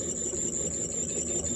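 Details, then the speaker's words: Ford Model A generator bench-tested by running it as a motor: a steady high squeal over a low dry roar from the rear bearing, which is dry or worn with no oiling point, so it needs repair. "and it sounds like the bearings in it are are either dry or or Square cuz you could hear a little Roar to it and it's this back one that's really doing it"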